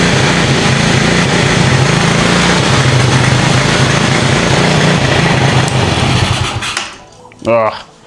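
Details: Cheap quad bike after new wiring loom, cleaned carburettor, new spark plug, CDI, regulator, battery and clutch: small single buzzes at a quick steady pace for several seconds, then cuts off cleanly; it runs properly now.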